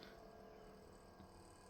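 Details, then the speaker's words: Kenwood TS-940S internal fans running constantly on the 24-volt line to keep load on the pass transistors: low, even whoosh with faint steady hum, no rubbing or ticking; normal cooling fan running. "is the fans that are constantly on the 24-volt line. So you make sure that there's always a load on the pass transistors so that they don't spike and flash over and take out the PA deck."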